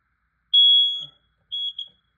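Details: Smoke/carbon monoxide alarm on test: shrill high beep held about half a second, then a shorter broken beep. This is the normal test tone; the test button also silences it.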